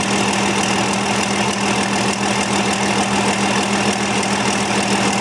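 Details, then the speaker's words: Cold tractor diesel at idle: a light, steady tick about three a second rides over the clatter. Owner suspects an injector, possibly a pushrod or valve, and will check whether it persists when warm. "We zullen zien of dat tikken doorgaat als hij warm wordt."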